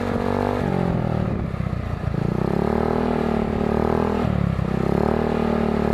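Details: 2008 Jonway GY6 150cc scooter with new eBay performance exhaust and new air filter, revved from idle: single-cylinder drone climbs, stumbles and sags before recovering; bogs, owner links it to the new air filter.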